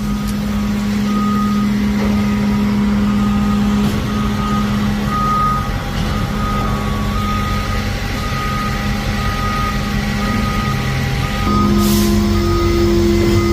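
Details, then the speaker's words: Dump trailer's hydraulic telescopic lift raising a load of just under 5 tons, towed by a 1999 Ford F250 7.3 with 370k miles. A steady low pump whine with beeps over it; the pump labours on a battery weakened by the trailer sitting 2 weeks, and the battery dies. "I can definitely hear it whining now. It's not like it on the skinnier cylinders. Yeah, this is heavy. This thing is crying. It just killed my battery too."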